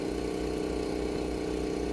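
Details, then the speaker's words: 2014 Toyota Corolla after fix for misfire codes (P0171, P0301-P0304) traced to a broken intake manifold leak, codes cleared: steady, even idle with smooth hum, no stumble or misses; idle now normal. "एक बार देख late हूं इसको फिर करता हूं आप देख सकते हैं बिल्कुल बराबर हो गई है"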